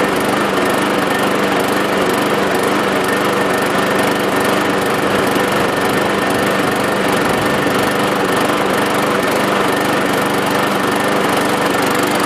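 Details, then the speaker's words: 550 walk-behind mower with cleaned, washed-out air filter and replacement Craftsman blade: constant even buzz with steady pitch, no surging or misfires; owner may still check the carburetor diaphragm later. Normal running. "So yeah, it runs okay."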